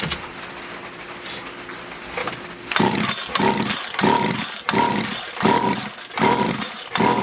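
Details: Poulan Wood Shark chainsaw with a no-start problem, after the low jet was leaned out slightly: catches and surges in uneven bursts about once a second, racing then sagging; flooding, owner suspects a sticky needle and seat.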